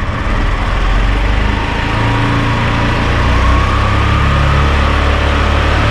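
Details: 2019 Italika DS 150-G motorcycle, after a new carburetor replaced a rich one that caused black smoke, misfiring and a carbonized plug: steady single-cylinder drone, revs climbing smoothly and evenly with no stumbling; runs healthy, no black smoke.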